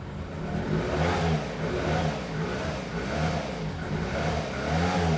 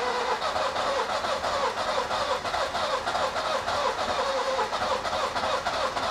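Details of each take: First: Nissan Micra K11 after replacing badly fouled spark plugs thought to have caused the no-start along with flooding: engine pulls up smoothly through repeated revs and settles back without misses or stumbles; runs clean, even and healthy. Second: Nissan Micra K11 cranking with fuel pump fuse removed to clear fuel: even starter cranking about three beats a second, never catching; engine flooded with fuel.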